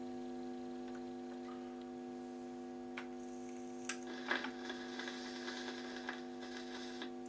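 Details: Garrard RC75 record changer, just serviced after its motor had failed: a quiet steady motor hum with a handful of soft clicks and clatter as the arm and record drop. Normal changer cycle.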